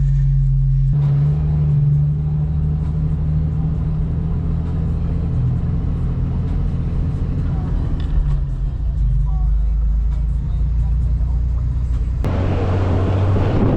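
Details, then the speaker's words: Jeep Wrangler TJ with new fully welded exhaust and Thrush muffler (replacing a Flowmaster FlowFX), accelerating from a stop light; deep, steady rumble builds with no booming drone. It gets quieter as revs rise, where it was once loud around 3,000 rpm; normal acceleration note. "but then as you accelerate and as your revs go higher it actually gets quieter which is really good it used to get so loud especially like around 3,000 if I was accelerating and now it doesn't"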